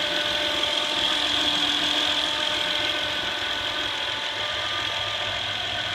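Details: Steady high-pitched electrical whine at quiet idle, constant pitch, from a 2008 Honda Accord EX-L V6 alternator; failed rectifier diode in the alternator.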